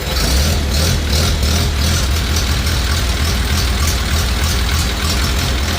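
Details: 1950 Farmall Cub tractor after engine rebuild with pop-up pistons, new magneto and on-off switch: steady even low putter, no knocks, misses or smoke; quiet, healthy normal idle.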